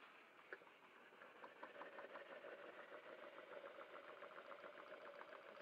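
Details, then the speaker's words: Stuart No1 model steam engine, rebuilt with new machined parts and a bolted (not pinned) 60 Rockwell hardened crankshaft, oiled slide and big end, run on boiler steam at about 25–28 psi: soft, quick, even chuffing, very smooth, no knocking; normal running. "But very, very smooth now. No knocking, really. Sounds like quite a powerful engine."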